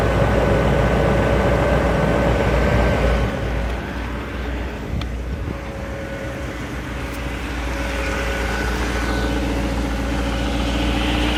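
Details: 2001 BMW 740iL V8 on cold start: steady low idle rumble with a light metallic rattle pulsing about three or four times a second.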